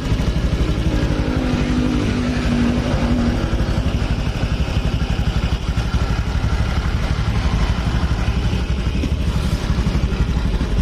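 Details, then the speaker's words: 2018 Honda Beat digital scooter after fixing a rough-running engine at the cam chain tensioner, no engine teardown: steady low putter about four beats a second, even with no ticking or clatter; smooth again. "nah lembut kembali ya warasnya waras cageur oh ya suaranya lembut lagi"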